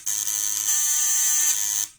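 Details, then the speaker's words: Rewound contact point (vibrator) bench-tested on series batteries, 24 volts then 12 volts: steady high-pitched buzz holding even for nearly two seconds, cutting off cleanly; normal buzzing, stays cool even at 24 volts. "So, ganito ang tunog niya. Pag naka 24. 12 volts naman."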